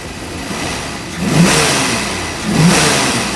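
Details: 1986 Ford Mustang GT 5.0 V8 field find, sat for years, injectors never pulled, still blowing debris from tailpipes: two smooth throttle blips rising and falling cleanly over a steady idle, no rattles or stumbles; runs healthy.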